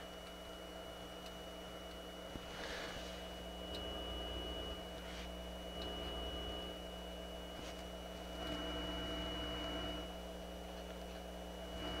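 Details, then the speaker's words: Pioneer QX-747 receiver after restoration, CD-4 demodulator test, balance knobs turned up, about half volume; thin steady high whistle over faint hiss, suspected demodulator artifact; whistle. "i turn these up you can hear that whistle i think that's an artifact of the demodulator itself"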